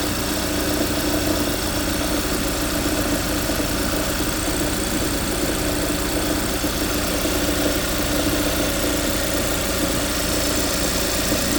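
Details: 2015 Hyundai Santa Fe, engine cold: steady idle with a fast, dry rattle after shifting into reverse. It happens only the first time in the morning or after a long cool-down, not for the rest of the drive.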